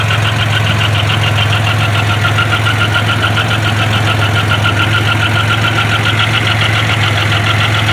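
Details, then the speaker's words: Grand Am with 3800 supercharged swap (or the broken 07 GP), just after an oil change: steady idle with a sharp tick three to four times per second over the rumble. New noise; owner suspects rod knock, lifter or loose rocker, cause unknown. "is that a rod not foreign maybe a lifter man i hope that's not a rod knock maybe a loose rocker"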